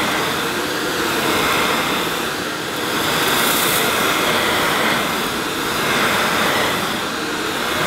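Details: Hoover S2095 Quick Broom II mains-powered bagless stick vacuum, brand new, picking up mounds of dirt, owner expecting it may snowplow. Steady whoosh swelling as the head meets debris, no rattles, squeals or bogging: normal running under load.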